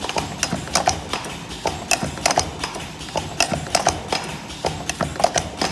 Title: noise testing ,we now controls the noisy under 66DB,push type lip gloss filling and capping machine